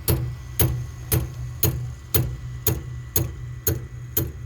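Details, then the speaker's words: Harman pellet stove, empty hopper, after sprocket changed and tightened; sharp regular click about twice a second with no motor run between clicks; auger motor clicking, auger not turning, cause unknown. "let me plug it in and this is the clicking sound that it makes so the hopper is empty Hopper's empty you hear that clicking sound this is what it doesn't turn"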